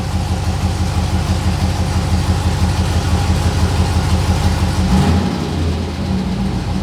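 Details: 6.0L LS-swapped S10 with fuel system clogged by rust from the gas tank: deep V8 idle with uneven, lumpy beat and periodic stumble; one cylinder misfiring.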